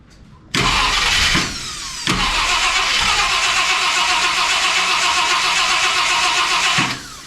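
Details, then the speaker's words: 1966 Ford Country Sedan FE big-block V8 after big solid-lifter cam swap, distributor restabbed, timing checked at 12°: catches and settles into a steady, even run with smooth rapid beat, no knocks; normal running, timing correct. "That actually seems like it's timed correctly."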